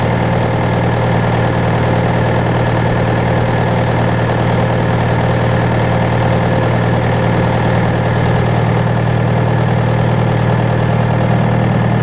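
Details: John Deere 6115M diesel tractor (about 3 years, under 1000 hours) idling after rubber fuel line replacement and pump priming; steady, even clatter at constant idle speed, no hunting or misses; normal idle.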